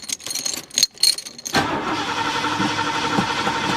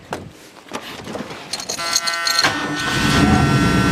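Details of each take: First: LTD car cranking without starting: steady starter churn about four turns a second, never fires; no fuel reaching the carburetor despite gauge showing 1/4 tank. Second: Car with brand new carburetor and a makeshift fuel pump feeding fresh fuel: short crank, then catches and builds to a smooth, rising run with no misses or knocks; running fine.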